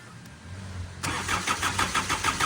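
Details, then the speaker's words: Hyundai Santa Fe diesel that won't start: starter cranks steadily with even rhythmic pulses but never catches; no diesel comes from a pulled fuel hose while cranking; suspected faulty ECM relay cutting fuel pump power. "Okay. Wala yan. Nagpack-cranking nga tayo. Wala ngang lumabas na diesel ngayon."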